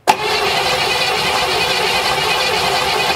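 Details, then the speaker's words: 1957 Chevy Bel Air, sitting since 1985, cranking without starting: a steady starter whirr with no firing. The ignition points are not opening, so there is no spark; they were possibly installed without adjustment and are about to be adjusted. "okay oh they're not opening they're not opening"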